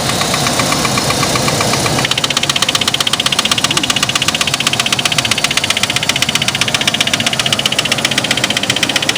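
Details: 2003 Chevy S10 2.2 four-cylinder at steady idle with sharp, very regular metallic knock about four a second, started after new spark plugs and wires were installed in correct order; cause unknown.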